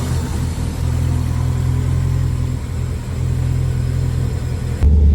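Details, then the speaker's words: Subaru WRX STI with cams, first start after about 5–6 years sitting, on old fuel: low, steady burbling boxer idle, even rumble, no ticks, knocks or weird noises; sounds healthy. "Probably a little rough as well as old fuel. So, that really does not help. But, it does sound pretty healthy. It's not like uh making any sort of weird noises."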